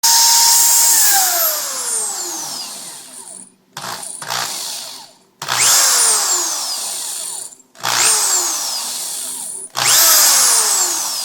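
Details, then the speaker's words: Corded power drill revved in short bursts, leaving a high squealing whine that falls in pitch as it spins down. Squeal from worn or dirty brushes; fixed by sanding the brushes. "hear that little whining noise at the end a little uh high pitch noise that sound that's uh the brushes in here telling you that it's probably time for a change or a cleaning"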